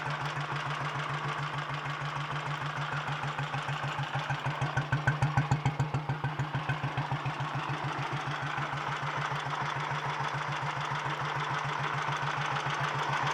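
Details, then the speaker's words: 1951 Royal Enfield Bullet 350 G2 after full engine rebuild, ignition timing set via advance lever: ticking over at about 200 even thumps a minute, briefly louder then steady; healthy idle. "i think i've got the timing how i want it"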